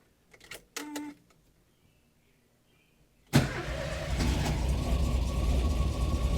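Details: 1971 VW Squareback (Type 3) hot start with no gas pedal: short horn toot, pause, then fires instantly and settles into a steady, even idle with no stumbling; a clean hot start.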